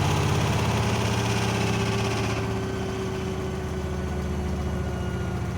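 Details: Blomberg washing machine abnormally loud during spin: heavy droning rumble with a steady beat about four times a second; cause unknown, warranty repair requested.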